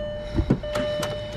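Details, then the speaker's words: Honda with about 146k miles being prepped for a demolition derby: key turn gives a few sharp, uneven clicks with no cranking; owner suspects a low battery and plans to jump it, cause unconfirmed. "let's jump her up to it just in case it's my battery being low ash or something like that"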